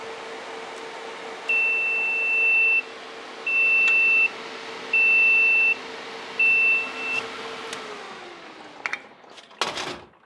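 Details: DIY TIG welding water cooler, diaphragm pump with its fuse or breaker pulled, running off the accumulator: steady pump hum, then long high beeps about every 1.5 s; the coolant flow alarm sounds once flow is lost.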